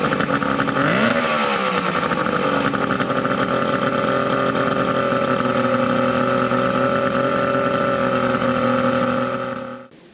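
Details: 70HP two-stroke Mercury outboard on a 1967 Duo boat, running on water hose ears with battery, not hot: quick rev rises and falls, settling into steady even buzzing idle, no knocking or stumbling; hard starting but runs very well once running.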